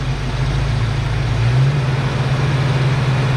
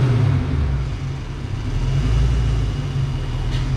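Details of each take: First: Ford Foxbody Mustang during base idle reset, throttle set to 0.99 volts; steady low idle that lifts and holds higher when the idle air control is plugged in with the engine running, because the computer must reset first. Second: Ford Foxbody Mustang after base idle reset, started with fan on high, AC and headlights on; steady, even low idle rumble with no dips or hunting under accessory load, sounding healthy.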